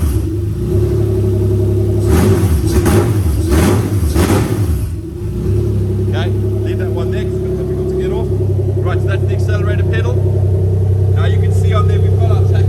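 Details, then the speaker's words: Toyota 1G-FE VVT-i in a Lexus IS200 on new ECUMaster Black harness, no exhaust fitted: loud open-pipe blips rising and falling cleanly with each throttle stab, then even idle, no missing; runs smooth, normal revving. "fantastic okay guys so yeah she runs smooth"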